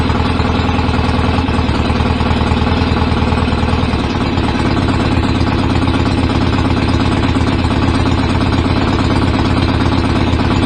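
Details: BSA A50 twin bought as a non-runner, first start with newly fitted pattern open exhaust pipes, needed throttle to fire: loud, slightly irregular chuffing idle near three beats per second; owner suspects timing off, to strobe-check, unconfirmed; uneven idle.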